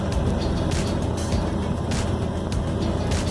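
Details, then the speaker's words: 1956 Chevy 210, reportedly 327 engine, 3-speed manual (1963), first drive after revival, in second gear: heavy constant roar and deep drone, much louder than expected; source unknown. "Let's figure out second. Okay, there we go. There's a loud noise. I don't know what that loud, I don't know."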